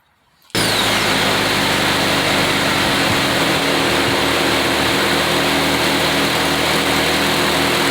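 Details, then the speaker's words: Car after exhaust manifold gasket replacement, idling and revved: loud, even roar with a slight hiss but no puffing or ticking. The leak sound is reduced; owner expects the remaining noise to disappear once fully hot. "Okay, it's not as bad now. You still hear it, but the good thing about it, when it gets real hot, you're not going to hear that sound anymore."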